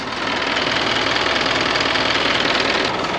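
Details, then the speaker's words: 6-ton truck diesel, 427,000 km, oil checked before start, idling: even clatter about four beats a second, no knocks, misses or hunting; sounds too healthy for its mileage, owner suspects work was done; normal idle. "now I don't know about you that doesn't sound like a motor that's done 427,000 km must have had something done to [Applause] it"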